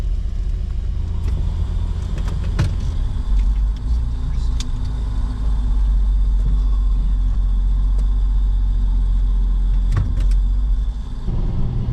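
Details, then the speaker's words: Nissan Xterra at 60 after replacing shot differential: steady road and engine rumble, no whine or howl from rear, much quieter than before; normal differential. "So doing 60, no noise. Oh yeah, it's so much quieter, so much better."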